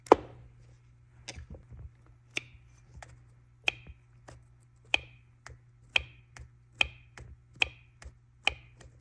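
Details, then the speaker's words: BMW N54 single-turbo 335i with VANOS and camshaft faults: VANOS solenoid bench-tested, sharp metallic pinging clicks about every 0.8 s show a failing plunger where good units sound clean and quiet; replacing the solenoids made it run much better. "you can kind of hear it pinging and here are the good ones sounds like a plunger like a suction plunger these sound like some like metal hitting and these sound very like nice clean quiet"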